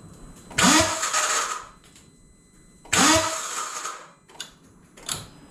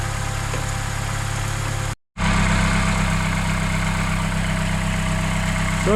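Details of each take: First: Vauxhall Corsa in freezing weather: two short, rough cranking bursts dying after about a second, then only faint clicks; starter motor failing, to be replaced. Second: Vauxhall Corsa after replacement starter motor fitted, on a freezing day: short crank, quick catch, then a smooth even idle with a steady low hum and no grinding or clicking; starts and runs fine.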